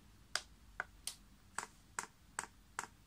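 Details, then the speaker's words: Chinese air heater run on paraffin, primed for the first time from the LCD controller: the dosing pump gives sharp, evenly spaced clicks two or three a second as fuel rises in the pipe. This is normal priming. "hear that pumps clicking and easy fact now priming you see that levels going up there"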